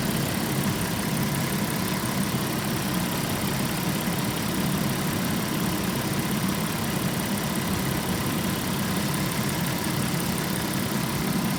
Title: B5.5 V6 weird noise trumpeting or rubbing 2